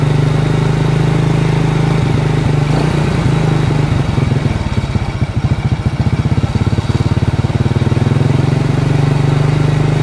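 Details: Honda Karisma/Supra X 125 carbureted single idling after a new aftermarket Federal cam chain was fitted: an even, low putter that dips and recovers smoothly, with no top-end rattle. Normal idle.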